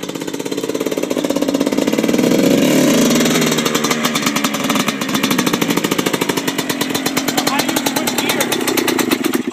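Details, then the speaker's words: 1997 Yamaha Blaster 200 at first start after a rebuild: a two-stroke crackles and revs up and down in rapid rough pulses with no drive taking up; the owner suspects the clutch isn't engaging, not confirmed. "how's that clutch doing I don't think the clutch works anymore somehow mission burned out I guess the clutch isn't engaging here"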